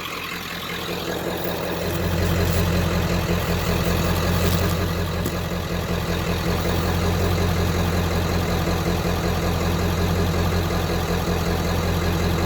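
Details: 1995 Ford F250 7.3 Powerstroke diesel, about 180,000 miles, stock, Royal Purple oil, just started after a glow plug cycle: deep steady clatter and exhaust rumble smoothing out, no misses, knocks or smoke; healthy idle.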